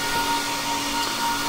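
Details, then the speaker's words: HP ProLiant server (possibly GL360 G7) in rack, amber light flashing, panel flags fan number five failing: steady high whine over fan rush that never changes pitch, typical of worn fan bearing; fan to be replaced. "so the problem i can show you real quick is one of the fans is going bad so the amber light is flashing and if you open up this panel it says that uh fan number five is going bad"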